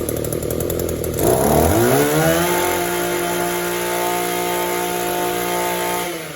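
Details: Echo two-stroke trimmer on the bench, no air leaks and a clean filter, after adjusting the hidden carb screws: it hesitates, rises slowly in pitch, then hangs at a thin flat drone. It bogs between idle and full throttle from a lean carburettor.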